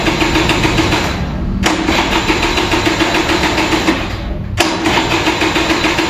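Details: Vintage Kinetic Honda 2-stroke scooter, early-morning cold start: long runs of steady starter churning with two short pauses, weak ignition, engine refuses to fire as the battery drains.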